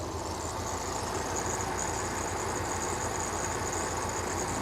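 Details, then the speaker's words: 1982 Toyota 22R with a performance-curved distributor and Weber 32/36 carburetor, idle mixture screw turned too far while tuning for maximum vacuum: vacuum dropping and the engine running with an uneven, loping beat; rough idle. "Now we can see the vacuum starting to drop back down, and we can hear it in the engine. A little bit rough."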